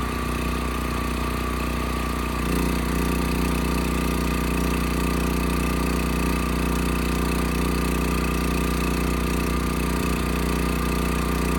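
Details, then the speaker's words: Westinghouse 7,000-watt electric-start generator after gas tank, dead battery and gummed carburetor were dealt with: engine picks up and settles into a smooth, steady hum with an even beat, no surging or knocking; electric start works well. Normal idle. "The electric start works quite well. Of course, the engine still is running nice and smooth, so I think we're done here."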